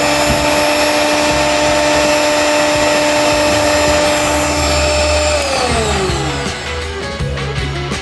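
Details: Miyako HM-620 hand mixer after the motor, shorted by batter getting inside, was replaced with a new one: steady high whine at constant speed, then a clean wind-down after switch-off, no grinding or rattle. Normal motor running.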